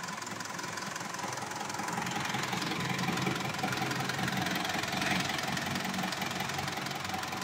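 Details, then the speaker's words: Mitsubishi Montero Sport diesel after an overhaul for black smoke and misfire/vibration, driven during break-in: smooth, even clatter rising gently with speed, no uneven firing or heavy knock; smoke gone, healthy. "sige okay na siya so napakanda na ng andar so ito Guys kailangan nating i-maintain lang natin yung speed"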